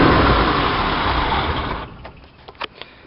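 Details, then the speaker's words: 1966 Chevy sports van, stock 230 six with HEI, new Weber 32/36 2bbl carb on stock manifold, in neutral during choke adjustment; steady raised idle, louder as throttle closes, later identified as a vacuum leak causing high revs. "This is adjusting the choke. It's not loose right now. If you close it, it sounds louder. If you open it more, it calms down."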